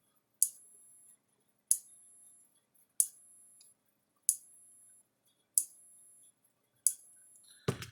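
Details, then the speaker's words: Gallagher S17 circuit board from a Gallagher F17 electric fence charger, fed about 6.5 V from a bench supply: sharp loud clicks about every 1.3 seconds, each a crisp snap with a ringing tail. A spark jumps at the terminals and the tester reads nothing. Arcing transformer. "little spark jumping from the terminals put our tester on there no no reading out of the gauge"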